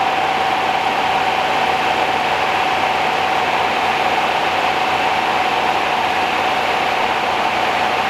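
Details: 1969 Rover P6 Series 1 3500 V8 automatic, first start after 16 years stored, on choke, fuel pump suspected dead: steady, even idle hum with a faint constant whine and no ticking or rattle on top; quiet, tight, healthy engine.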